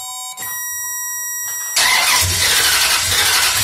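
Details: Crank-no-start on a towed-in 2004 Dodge Ram 1500 5.7L V8 (3rd gen): steady cranking but never fires. ASD/fuel pump power stays positive throughout cranking, and the diagnosis is a bad fuel pump with no fuel delivery.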